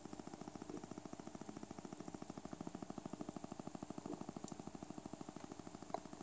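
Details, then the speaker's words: Cheap unbranded USB-powered PC speaker with the audio input off: rapid, steady ticking of about ten clicks a second; the amplifier IC works, and the fix was replacing a leaky 1uF 50V capacitor. "you can hear that we've got that constantly beeping and we know that the amplifier IC is working"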